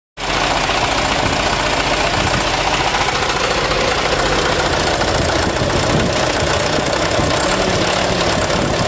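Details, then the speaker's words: Mitsubishi Canter HDL 136 refrigerated box truck diesel with rough, shaking idle: harsh knocking clatter over uneven idle; cause found on teardown to be a broken injection pump timer, fragments entered the oil pan. "Suaranya kayak kena ini Ya kemungkinan timer bospnya Coba nanti dicek lagungkar bospomnya ya"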